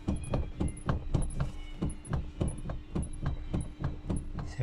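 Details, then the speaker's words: 2015 Toyota Prado rear seatback, unrepaired side, being shaken. Sharp, hollow clunks about four a second as it rocks loosely on a worn recline hinge, compared with the repaired side. "То есть я вот его прям дёргаю оно в замочке там чуть играет а теперь как вот это ещё не отремонтированное"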